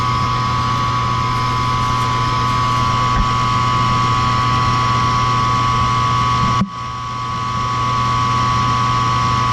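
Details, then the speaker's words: Old Ruud combined A/C and gas heating unit, model UR MA A03 JK 08E, after replacing a bad rollout switch: steady, even low roar and constant hum with no surging or popping, flames not rolling back, normal burner operation. "I don't see any roll back on the Flames everything looks good heater's been running"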